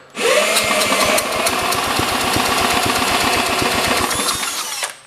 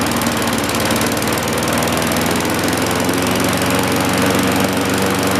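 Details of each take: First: 1960s–70s John Deere push mower, plug condition uncertain: quick, fairly regular puffs and clicks while pulled over, a brief attempt at firing with a little smoke, then it dies without starting. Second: 1960-70s John Deere push mower saved from scrap, just started before an oil change: even, steady engine note held several seconds with no misses or surging, handling noise near the end; runs healthy.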